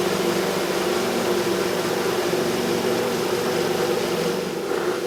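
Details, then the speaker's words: Good Ideas compact twin tub washing machine (model XPB35-918S) spinning a load with the spin mat on: a smooth, even whir at constant pitch with no knocks or scraping. Normal spin cycle. "make sure the spin Matt is on firmly close the lid and then we can start spinning"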